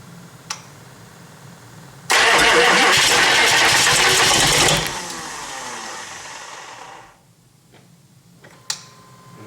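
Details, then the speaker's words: GM 6.5 diesel with cleaned, reinstalled injectors after a misfire, turbo feed plugged, about 45°F after glow plug cycle: loud starter cranking about three seconds without catching, then winding down; injectors not yet filled with fuel. "let them cycle again. May run rough for a minute because there's no fuel in the injector."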